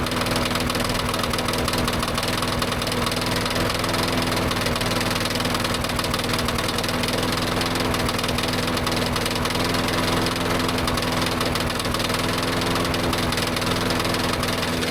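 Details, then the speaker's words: Yard-sale push mower started on a tickle of fuel after reassembly; owner didn't like its oil. Uneven, knocking beat of about three firings a second that stumbles irregularly; the spark plug pulled afterwards looked a little oil fouled. Rough running. "Oh, she's running. Looks a little Yeah, a little bit uh oil fouled."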